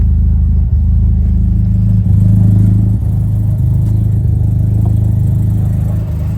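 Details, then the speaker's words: Nissan S13, just after a fuel upgrade with bigger injectors and a regulator: low, even thrum at about four pulses a second with no misses; the idle sounds different, as the car was likely starving for fuel. Normal idle. "The idle already sounds different than before, too. I think this car was definitely starving for more fuel."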